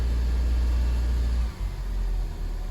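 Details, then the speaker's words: 2002 Honda Civic restarted after sitting a month and a half with a clicking no-start, fixed by cleaning battery terminal corrosion: low, steady rumble that settles after a brief dip and holds on its own; normal idle. "see if it idles by itself oh yeah that's idling just fine"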